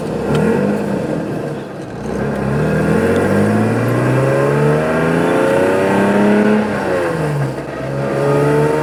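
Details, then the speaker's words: Lexus IS300 after CD009 manual swap from G35, first drive: engine revving up and down through the gears with raspy, loud exhaust note rising with throttle; exhaust not fully connected and leaking badly, to be fixed. "Exhaust isn't fully connected, so if you hear it, it is leaking right here. pretty bad. It's leaking, but we're gonna get that all buttoned up in a minute."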